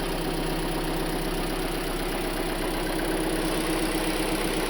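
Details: Hyundai Elantra after rod bearing replacement: steady petrol idle with a faint light tick about four times a second. The heavy rod knock is gone and the engine runs evenly.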